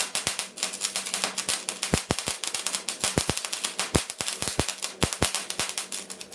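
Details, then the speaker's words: 130-amp gas/no-gas MIG welder on flux core, first use, on steel: irregular sharp crackling pops instead of a steady sizzle; unstable arc from tip too far from the metal and travel too fast. "you are moving a little too fast right too far from the metal too fast right"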